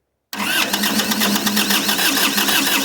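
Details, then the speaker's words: 1990s Kubota L2500D 4WD diesel tractor, broken down in the woods, accelerator pushed forward, ignition on, being jump-started: a steady, fast cranking chug at several beats a second that never catches and runs. It cranks but won't start. "So what I've done is I've pushed the accelerator forward, turn it on, so the ignition is on, and we're going to try to jump it, going from the positive to the negative down here."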